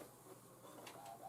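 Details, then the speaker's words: iMac G5 optical drive during an OS install attempt: faint, uneven whirring and rattling with scratchy bursts; the drive sounds rough and fails to do anything, cause unclear. "this optical drive really doesn't sound good so I don't think we're gonna see any action from this"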